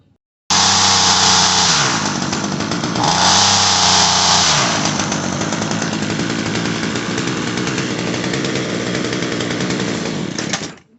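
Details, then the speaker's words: Homelite 26SS two-stroke string trimmer after carburetor fuel line repair, foam filter fitted: steady buzz that sounds bogged, never revving out cleanly, low RPM; suspected too-heavy trimmer string, carburetor also needs adjustment. "It sounds like it's low on RPM, but I think this guy's just got too heavy a string in here."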